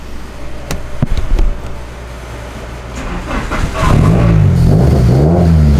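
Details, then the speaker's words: Car on a dyno pull after coil-pack dwell was cut from 3.5 to 1.9 in MegaSquirt: deep note swells and holds under full load with no stutter or cutting out; ignition break-up cured, 242 hp. "didn't break up 242 um it's not breaking up that's huge yes that's a lot that's good"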